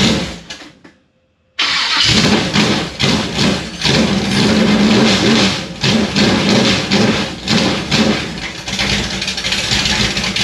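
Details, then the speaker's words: 1955 Chevy Nomad V8 on first start with 30-year-old fender well headers, open headers: loud, choppy, loping idle from a cam, clearly not tuned; lumpy cammed idle. "yep sounds good clearly a little bit of a cam in it clearly not tuned"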